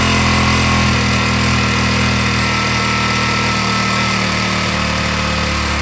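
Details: Honda ATC 200X after rebuild with flushed tank and new petcock, first kick: fast, steady single-cylinder putter holding even revs without stumbling or misfires; running properly.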